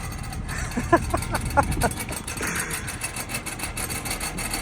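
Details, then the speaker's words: Modern BMW valve-actuated exhaust: irregular, loose metallic rattle over a low exhaust rumble, about one and a half rattles per second, from the valve flap inside the muffler; fixed by replacing the actuator bow spring. "And if you don't know what that awful sound is, let me explain. Modern BMWs have valve-actuated exhaust from factory."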